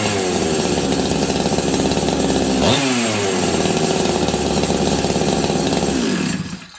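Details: Husqvarna 385 chainsaw, sat on a shelf for years, first start: it free-revs at a high scream with a dip partway through, then winds down. The clutch expanded and grabbed the chain brake. Owner suspects an air leak.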